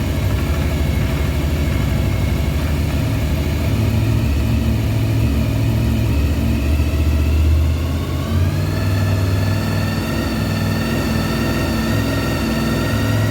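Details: 1993 Honda VFR750F, carbs cleaned, first start after sitting over a year, running without an airbox during a leak check: steady, even idle with a smooth low burble and no misses or knocks, settling slightly higher; normal idle.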